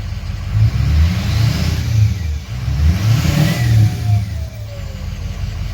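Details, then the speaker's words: 2006 Ford F350 6.0 diesel after fixing code P2262 (broken MAP sensor nipple on intake): deep throb swelling with throttle blips, faint whistle rising and falling; turbo spooling normally, though owner expects turbo replacement later. "hear that now that's a big difference so big black is going to be alright for another couple more miles"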